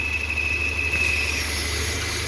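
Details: Citroën C4 2.0 idling after a timing belt change, engine also misfiring: thin, steady high whistle that comes and goes, cutting out partway; vacuum leak through a ruptured PCV diaphragm, not the belt.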